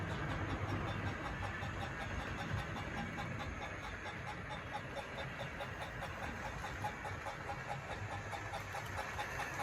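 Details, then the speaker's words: Tri-ang Hornby R.259NS Britannia model locomotive fitted with improved 5-pole motor, running on layout and speeding up: quiet smooth motor hum, regular track clicks, audible tender chuffing; normal running. "I honestly think that's completely different. You can really hear the chuffing from that tender."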